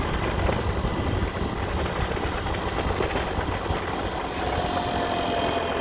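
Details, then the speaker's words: 50cc two-stroke scooter after low-compression fix, used cylinder and piston with rings from a roughly 3,800-mile scooter fitted, carburetor retuned: buzzes evenly with no knocks or misses, idles perfectly, weak takeoff but good power band; runs healthy. "if i stop it's idling perfectly you know so it looks like it worked it's not a whole lot of takeoff but it does have a pretty good power band once it kicks in"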